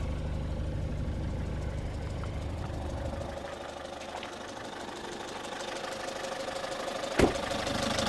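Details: Citroën C5 2.0 HDi 100 kW diesel idling with a light, uneven tick about three times a second over the clatter; owner suspects injector area but unsure; injectors repaired, piston rings, valves and valve seals done 15,000 km ago.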